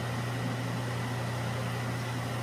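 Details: ILG Model 123 XQ explosion-proof fan motor after rebuild with cleaning, new winding varnish, new bearings and spring washer: steady low hum and constant airflow, no knocks, rubs or rattles; centrifugal switch slightly rubbing earlier but improved; normal running.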